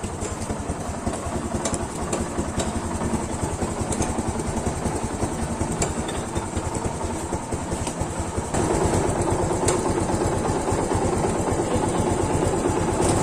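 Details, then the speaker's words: Yamaha FZ150 single with noisy cylinder head, before repair; steady idle with a fast uneven ticking clatter about twice a second from the top end; possible camshaft, cam bearing, tappet clearance, timing chain, guide or tensioner, unconfirmed. "Yan mga brothers, yan po yung ingay ng kanyang head."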